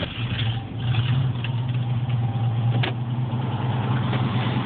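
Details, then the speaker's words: 1973 International 1310, 392ci V8, 34,438 original miles, warm start after driving all morning, new one-gauge cables and 930 CCA battery: catches quickly, deep steady even rumble at idle, no stumbles; normal warm start and idle. "i think i wanna give her a fire up but y'all listen to it it's not a cold start it's uh i've been driving it all morning"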